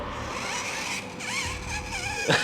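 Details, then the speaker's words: MN111 1/18 4WD RC trail truck driven on wet, muddy ground: a steady high gear whine from the transmission rises and wavers with throttle, the transmission running noticeably noisy. "that transmission is very noisy guys just listen to that how noisy is that"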